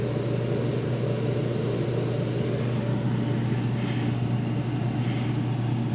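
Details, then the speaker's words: Mr. Heater Big Maxx 50,000 BTU garage heater, side panel open, after replacing the failed blower motor: steady low hum and even airflow rush, slight strut vibration, no rattles or scraping; back to normal. "can hear a little vibration on these struts but you definitely aren't going to hear that from down here yeah that's back to normal"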